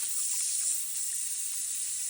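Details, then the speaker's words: House water supply line running across a brook, damaged pipe with a chunk taken out: steady soft hiss of water spraying as a heavy mist, no pulsing; pressurized pipe leak before shortening and repair. "all right I hear it actually it's not quite as bad of a leak as I thought mainly just a heavy Mist that I was seeing"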